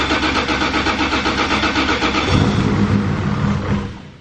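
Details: Brand-new 3.4L 2JZ first start, with clean injectors fitted: rhythmic cranking at about four beats a second, then it catches cleanly and settles into a firm, even run.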